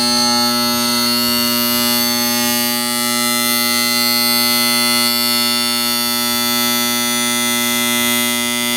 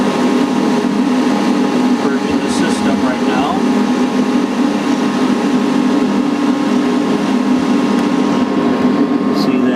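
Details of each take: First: Heil/International Comfort Products (ICP) N9MDP furnace that won't fire, power on: loud steady electrical buzz from the inducer motor with no spin-up or airflow; motor energised but seized, blower not starting; inducer motor replaced to fix. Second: Heil/ICP N9MDP furnace after replacing the bad inducer motor that had buzzed and stopped the furnace firing: steady even motor hum with smooth airflow rush and no rattle or scrape; inducer running normally, igniter then firing.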